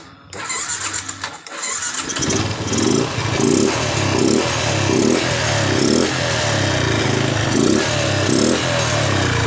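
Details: Yamaha Jupiter MX New after servicing a never-serviced carburetor, ignition normal, previously hard starting and stumbling: cranks, catches after about two seconds, then revs and settles in steady even throttle blips; normal start and revving.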